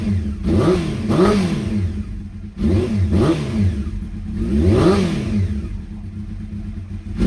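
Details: Honda CBR600F inline-four under revival, start-up via temporary starter relay and ignition switch bypass wiring, borrowed fuel tank: revs up and drops back cleanly three times, smooth rise and fall in pitch, no knocks or rattles; normal running.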